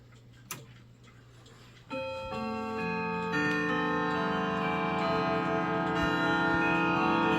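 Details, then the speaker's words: Clock with 1970s case and common 1161 movement, fitted with different strike hammers: steady tick about 222 a minute, then soft, even bell strokes, quieter and mellow rather than tinny; chime unchanged, strike sounds much better. "The chime still sounds the same, but the strike sounds much better. It's a little bit quieter, but it's really nice. It's no longer tinny."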